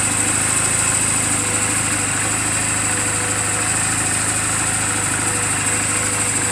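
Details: 2007 Honda Rebel 250 idling after the owner's own valve clearance adjustment, offered as a reference for others checking theirs; steady, even quick pulse with light ticky top end, no misses or knocks. Normal idle.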